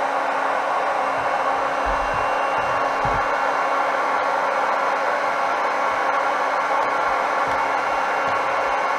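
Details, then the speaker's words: Solary "Hot Rod" automotive induction heater under repair, with a bolt in the coil: a loud, steady rushing fan with a low, even hum, no rattle and no pitch wander. The cooling fan runs normally, sounding like a jet. "well there's a fan come on think sounds like a jet"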